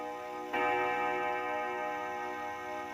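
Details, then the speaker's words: 1936 Junghans W64 five-rod chiming clock, probably never renovated, striking seven: two clear gong blows about 2.5 seconds apart, each with a long even fade; strike healthy. "bener ya 7 ya jadi bunyi gongnya 7 kali"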